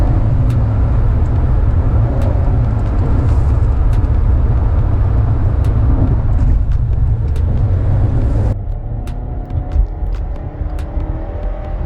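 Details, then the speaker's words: 2016 Nissan Rogue four-cylinder with CVT accelerating hard up a highway on-ramp: a loud, heavy low drone held at one pitch, sounding choked and strained, then easing off. Owner blames an underpowered engine paired with the CVT; unconfirmed. "It really sounds like this engine is being choked and it's gasping for air as it accelerates onto the highway or the expressway, trying to pick up speed."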